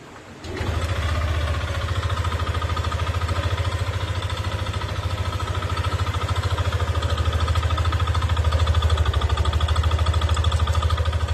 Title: Nmax v2 Engine knock ( Katok ang makina)